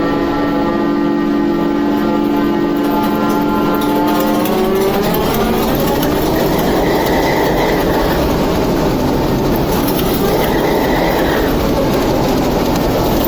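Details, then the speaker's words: TEP70 0237 V16 locomotive diesel after repair, starting after the oil-empty governor filled and it took fuel: steady tones rise in pitch as it picks up speed, then settle into an even healthy run; normal start and run. "Ну что, масло ушло? Да, немножко ушло вниз. И сейчас уходит. Но он сейчас вот потянул уже на запуск, на подачу."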